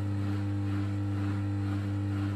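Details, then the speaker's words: Bosch WFK2801 washing machine showing error 03, stuck full of water after a 40-degree cotton wash, set to spin: drain pump on with a steady, clean low hum and no rattle or grinding; drain pump spinning freely, normal. "Pump's back on again. Pump's on."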